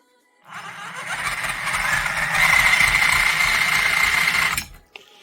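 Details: Reely FreeMen 2.0 brushed 1:10 RC crawler: high buzzing motor with a thin steady squeal and gritty rasp, dry axles/gearbox squeaking and grinding; owner greases them to fix.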